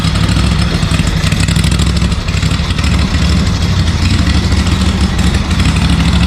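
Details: ZT200 mower with newly fitted replacement engine and new starter solenoid: low, uneven chugging as the engine turns and catches briefly but never settles; fuel starvation from the closed fuel valve.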